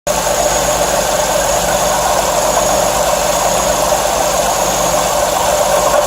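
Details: V6 car idling with a constant whirring whine and no knocking; mechanic diagnosed a worn water pump and serpentine belt, to be replaced with a pump kit, new belt and coolant.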